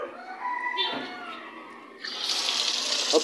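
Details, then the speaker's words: Whirlpool 360 automatic washing machine in spin-only mode: water hisses in with no drum spin, stopping and refilling instead of spin drying; the machine senses the motor struggling to turn, root cause unknown. "Sa halip na siya ay nag-i-spin dry na, babalik na naman siya ng pagkakarga ng tubig. Problem niya."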